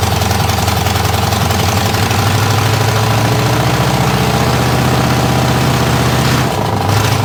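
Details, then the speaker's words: Buick 401 nailhead V8 in a rail dragster, open exhaust, idling: rough lumpy beat with a deep repeating knock underneath; owner suspects rod knock, coolant also blowing out of the overflow past a non-sealing radiator cap. "'s got a rod knock in it foreign 's knocking she is knocking you hear that well that's not good it definitely has a knock knock that's not good at all bro"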